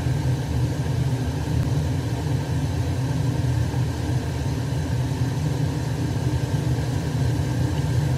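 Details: Weil-McLain 305,000 BTU hot-water boiler, gas pressure being raised toward 3.5 in WC: steady deep burner roar swelling as pressure rises. High CO output; a faulty gas valve regulator is suspected, and the boiler was condemned.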